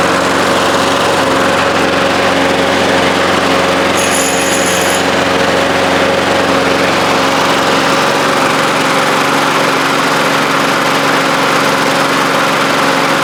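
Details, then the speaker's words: 1993 Toro Recycler II mower, Briggs engine, after fixing no-spark with replacement ignition coils and flywheel, started with ether: even, steady small-engine buzz at constant speed with no misses or surging; running cleanly. "I can't believe it's running."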